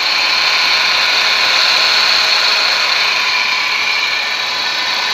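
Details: Nissan Serena C24 with QR20DE engine at idle; steady high whirring whine above a quiet idle that doesn't change; alternator noise.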